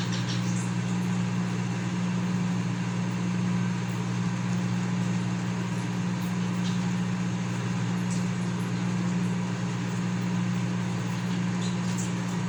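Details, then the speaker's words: Consul CM020 20-litre microwave after magnetron replacement (previously loud noise and no heating), heating water for one and a half minutes, water gets very hot. Steady even low drone, no rattles or buzzing; normal running. "Eu tô bem quente mesmo tá funcionando normalmente"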